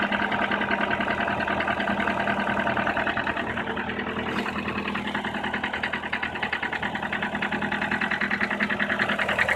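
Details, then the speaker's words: Nissan Teana J31 facelift, 2.0 QR20DE petrol, 180k mileage, 5W-40 Liqui Moly oil: sharp steady knock about three beats a second at cold idle, growing, lasting until warm-up; began after head gasket replacement; chain and tensioner replaced, coils, VVT valve, valve clearances checked, no change. "пробег у нас 180 на холодную появляется характерный стук и продлевается вплоть до момента прогрева двигателя"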